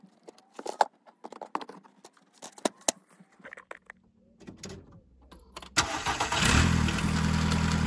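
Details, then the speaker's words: 2005 SEAT Ibiza 1.4 petrol, previously juddering with P0301 cylinder 1 misfire, just after the coil pack was replaced: clicking, then starts at about six seconds and settles into even steady idle; smooth, back on four cylinders. "really smooth now definitely back on four cylinders"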